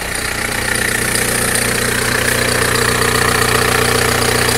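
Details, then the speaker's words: VW Caddy diesel at 189 km, cold started after sitting for half a year: after glow plug preheat it fired right up and settles into an even, steady idle clatter with no smoke, misses or knocks. "now that serious surprise no no smoke"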